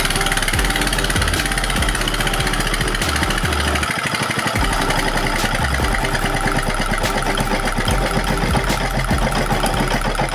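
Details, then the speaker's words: Diesel engine after repair of runaway (throttle rising on its own despite new nozzles), now steady even single-cylinder thump with no high-pitched sound and no smoke, more stable than before; normal running. "OK, amis diesel, enfin le moteur diesel est revenu à la normale , dès le son, il n'y a plus de son aigu, puis la fumée a disparu du tout, et le le son est plus stable qu'avant"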